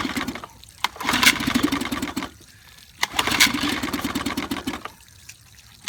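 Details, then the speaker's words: 1955 Evinrude 7.5 hp fleet twin outboard, with new coils, replacement carburetor and single-line fuel conversion, pull-started; uneven popping bursts each die after a few seconds; it catches but won't stay running long enough to adjust the needle. "stay running long enough I'd know how to adjust the needle"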